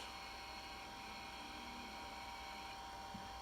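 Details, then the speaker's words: IBM PS/2 Model 70 Type 8570 retro PC, CMOS battery at 1.7 V instead of 6 V: steady fan hum, high hard-disk whine and faint seek chatter but no beep or video; fails POST, dead RAM or CPU suspected, unconfirmed. "the fan spins as you can hear we got power the hard disk spins we don't get the beep"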